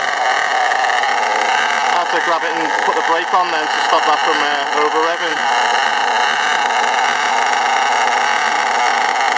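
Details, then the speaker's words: STS D30M engine during run-in: a high buzzing note surges and wavers with the throttle untouched, revving out and smoking until the brake is applied. Cause unknown; engine running away, over-revving. "you see it's h revving up and dropping down slightly but it does get worse than that and it'll completely rev itself out and smoke up"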